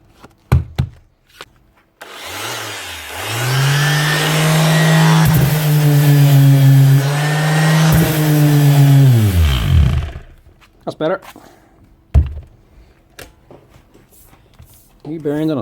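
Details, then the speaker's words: Bosch GEX150AC 6-inch orbital sander runs smoothly after repair, with a new switch, bearings and brushes: it spins up to a steady, even hum for about eight seconds, then winds down cleanly. "switch gives it a new Lisa life so right there it's over €200 machine €230 roughly repaired for €60"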